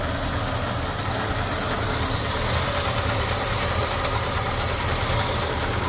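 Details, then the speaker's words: 1975 Ford F150 Super Cab big-block V8, 59,000 original miles, heard from under the hood after warming: deep even burble, steady pulses, no knocks or misses; normal idle. "Gotta love a big block Ford, huh? Sounds great."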